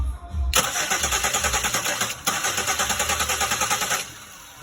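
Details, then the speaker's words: 2001 Pontiac Aztek 3.4, crank no start with no spark and no codes: steady starter churning with only a brief stumble and no catch. The yellow signal wire shows nothing while cranking, so the crank sensor at the back of the block is bad. "it was a little attempt for, and I saw the engine trying to do something. Alright, bad crank sensor in the back of the engine."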